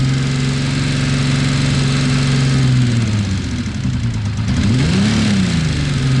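Engine idling and blipped, with a light rapid ticking riding over the exhaust note that follows revs; source of tick undetermined.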